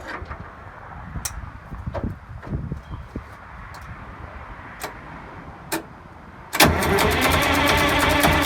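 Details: GM 4104 bus two-stroke diesel sitting about nine years, after freeing four stuck injectors and replacing a bad starter: a few sparse cranking clunks, then it catches and settles into a loud, fast, even run; a clean start.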